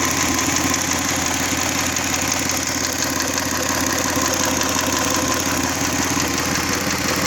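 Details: Hyundai/Kia G6EA V6 idling: rapid ticking knock roughly twice a second, unchanged with speed; cause unclear.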